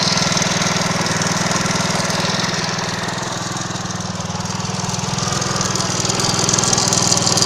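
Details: Alpha 110cc moped idling: a sharp, regular knock about four times a second riding over the small engine's idle; an internal engine knock of unknown cause.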